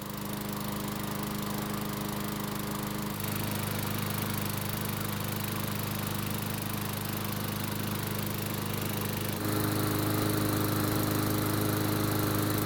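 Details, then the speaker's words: Craftsman mower that sat long in a garage and would not start, after repair with recoil assembly replaced, about 5 minutes running and near operating temperature: steady even single-cylinder hum, smooth governor steps, no surging or misfire; healthy running. "So it's been running for about 5 minutes and it should be close to normal operating temperature."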